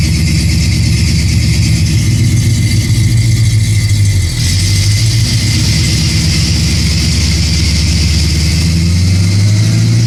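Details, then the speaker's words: 1979 AMC Spirit AMX, budget-rebuilt 304 V8 with Brawler carb and T5 five-speed, on DynoJet rollers during carb tuning: deep, loud V8 roar holding strong and even under full load, no misses or knocks; normal full-throttle pull. "I think does sound really good it sounds really good we just picked up five horse by taking off the air cleaner"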